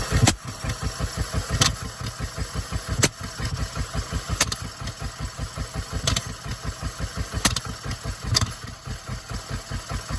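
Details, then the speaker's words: 1975 Ford F250 FE 390 started after sitting 30 years, freed from being stuck, on mismatched spark plugs that don't really fit: lumpy idle with a heavy stumble about every 1.5 s, misfiring; owner suspects timing wrong and flooding, unconfirmed. "timing wrong. That's what it kind of sounds like."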